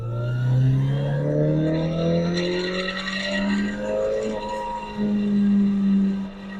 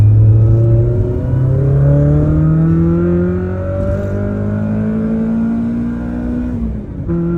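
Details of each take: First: Toyota AE86 with aftermarket short shifter, driving at high RPM; engine pulling hard with a faint buzzy shifter rattle that stops when a hand rests on the shifter, prompting a return to a rebuilt stock shifter. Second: AE86 Corolla after swapping an annoying short shifter back to the rebuilt stock shifter: engine pulls cleanly up through revs and gear changes with a smooth exhaust note and no high-rpm shifter rattle.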